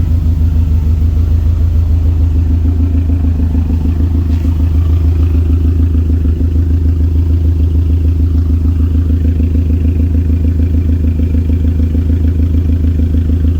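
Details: Tuned turbo Subaru idling after ECU relearn, no knock, vacuum fine, reseated Torque Solutions turbo inlet: deep, steady idle with even low rumble, no hunting, hiss or knocking, no vibrations; sounds better than after the tune. Normal idle.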